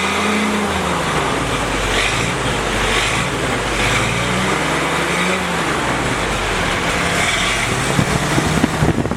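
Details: Freshly rebuilt F-head four-cylinder in a CJ5 snowblower Jeep at first start-up, heard at the rear through the homemade muffler; fires up and holds a steady, throaty idle with no knocks or misses. Normal, healthy idle.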